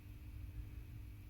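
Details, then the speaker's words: Carvin MTS 3200 tube amp head, first power-up off standby with volumes at zero: steady low hum with a faint constant tone above it, more than it should have; suspected to come from the power stage, not the preamp. "that is more hum than i would want from a tube amp certainly one of my own builds one of my head first amps i would not ship it with hum like that it's not terrible but it's there"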